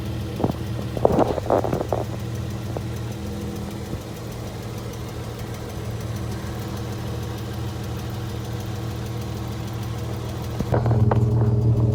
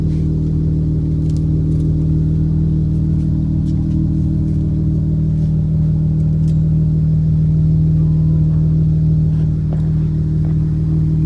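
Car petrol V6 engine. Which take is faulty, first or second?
first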